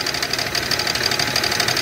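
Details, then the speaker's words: 2001 car with GM 3800 Series II V6 at idle: sharp, regular metallic ticking six or seven times a second, knocking badly; owner unsure whether internal engine fault (pushrod, head) or something else. Engine knock, cause unconfirmed. "but this is 3800 right here series 2 and it's knocking like hell right now"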